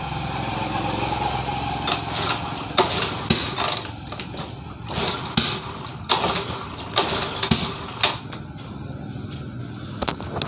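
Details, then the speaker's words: Honda Scoopy-FI scooter with intermittent ignition and a rough, valve- or camshaft-like sound: repeated short starter bursts with pops, the engine coughing but never starting; cause suspected, not confirmed. "kalau sekarang dia nggak mau lagi hidup ya. Jadi sekarang nggak mau lagi hidup, dia sudah susah hidup."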